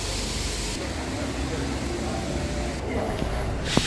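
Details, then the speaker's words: Volkswagen GTI direct-injection engine, misfiring, before repair: loud steady airy hiss over quiet idle, idle unchanged, from exhaust escaping beneath intake manifold; suspected and found burned-out fuel injector seal, found with manifold removed. "I will start it off the engine before I will do the repair the air is hearable loud and clear I was fed out of water to find out when was but the idle doesn't change my suspected for is in burn out"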